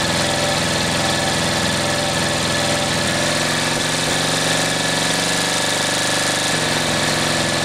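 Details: 1938 Caterpillar D13000 diesel, pony motor's first start in years: small pony starting motor chugs steadily turning the main engine over, oil pressure good, but it never fires; fuel reaches the pump but the injection pump builds no pressure, cause unknown.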